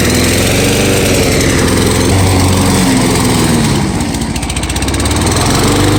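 Steady, even single-cylinder beat that dips briefly as it bites into grass and recovers cleanly; the mower is running normally under load.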